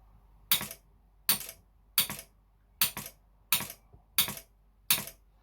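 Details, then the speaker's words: AdBlue module air valve bench-tested on a 28 V power supply: crisp single clicks about every 0.7 seconds over quiet background as the valve opens and shuts; normal solenoid valve clicking, air valve solder good. "i'm just going to touch it and you should hear the the valve open and shut it should be quite there really so here we go"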